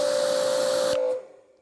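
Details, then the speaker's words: Active 2.3 electric pressure washer fitted with an Uberflex hose instead of the factory hose: steady mid-pitched squeak over the spray hiss on every trigger pull, stopping on release, new after about ten pulls, with a longer start delay. "you hear the squeak so something's going on that squeak wasn't there before but it's definitely doing it every time"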